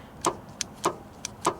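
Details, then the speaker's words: Ricon commercial wheelchair lift in a van, a control switch found stuck: sharp clicks about every 0.6 seconds over quiet background, like the lift solenoid chattering and struggling; owner suspects solenoid overheated, unconfirmed. "not exactly good for solenoids did I overheat that thing already hmm sounds like it's having trouble dang it I don't realize that switch was stuck"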